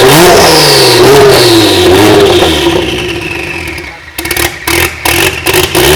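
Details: Kia twin-turbo V6 swapped into a DeLorean, first run, warmed up and revved on the base map from a previous Kia engine: smooth, crisp blips rising and falling cleanly; normal free revving, a few bugs still to sort.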